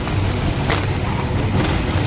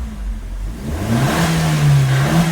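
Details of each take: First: Maruti Swift Dzire VXI with no pickup and heavy misfiring, idling near 1000 rpm; new air filter and ignition coil didn't fix it: a lumpy, shaking idle with vibration and one injector unplugged during diagnosis. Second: Maruti Swift Dzire VXI petrol after replacing shorted spark plugs that caused misfiring: single clean rev smoothly to about 1500 rpm and back to idle, no vibration or misfire; normal rev.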